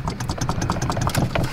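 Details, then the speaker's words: Mk6 Golf GTI idling with a fast, uneven metallic rattle and clatter from the turbocharger, which is not bolted on and visibly shakes. The owner thinks it is not serious and plans to bolt it up; the engine has no coolant. "that is loose like look at it shake that is uh not a bolted on turbo but I honestly don't think it's that bad"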